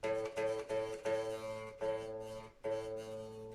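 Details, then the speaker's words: Squier Vintage Modified Jaguar, A-string saddle raised toward 2 mm action at the 12th fret: the string no longer hits the bridge body, but plucked notes still show a faint metallic sizzle, buzzing off something else. "that's no longer hitting the bridge, but you can hear it buzzing off of something else."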